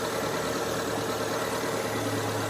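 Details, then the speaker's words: Daihatsu Taruna/Feroza carburetted engine during carburettor tuning, after loosening air setting and snap-throttling to clear jets: even, steady low idle hum with no hunting or misses; idling smoothly. "lebih enak lebih hanteng Coba kita kecilkan untuk rpm-nya"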